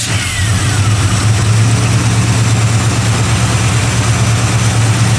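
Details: Chevy 350 truck parked 3–4 months with no-start, after fuel supply repair and filter line replaced: deep, loud V8 idle, fairly steady with slight lope, no knocking or misfire; running healthy.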